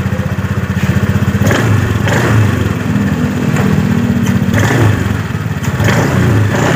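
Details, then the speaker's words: Honda Scoopy 2018 scooter at low rpm, throttle snapped: loose clattering bursts and vibration from the CVT housing, rear wheel creeps on its own, owner says it lacks power; worn CVT clutch shoes. "Hai jadi lebih tepat suaranya saat RPM bawah saat kita tarik tuas gas sekaligus kita gerak itu ada suara betah jadi ada suara Getaran ini bagian area blok CVT"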